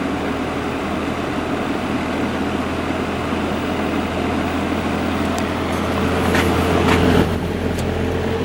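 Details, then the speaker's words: 1950s GE box fan motor after rotor-shaft repair and oiling, running: steady airy whoosh over a low even hum, no scraping or rattle, nice and quiet; normal running. "let's turn it on it's nice and quiet yeah that's running real smooth"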